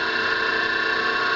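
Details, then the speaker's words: Homemade farm three-phase rotary converter idling unloaded after switch start (draws 3 A idling, about 230 V per phase, on a 40 A single-phase breaker): smooth, constant electrical hum, steady tones, no knocks or surging; operational. "And that's it. The converter is now running. It's operational."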